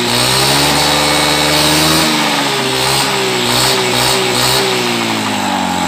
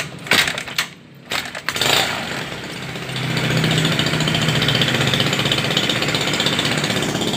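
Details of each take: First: Carburetted Honda Beat scooter that had badly cut out ("ngepos"), running after reassembly during carburettor air screw adjustment. Buzzes cleanly as revs drift gently up and down, with no stumbling or popping. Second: Honda Beat carbureted scooter: it revs, then hangs at a flat, strained drone at about half its proper revs. Suspected carburetor fault: dirt, a torn or folded vacuum diaphragm, or a sticking slide piston.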